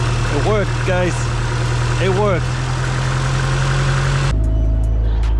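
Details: Completely dead car just started with an AutoOne jump pack: engine catches and settles into a steady, even low hum with no misses or knocks; running normally after the start.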